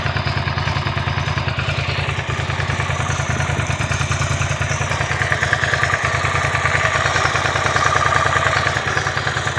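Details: Suzuki SV650 K2 V-twin motorcycle idling steadily with a light, regular ticking/clicking clatter over the engine's low thump; cause of the ticking noise not identified.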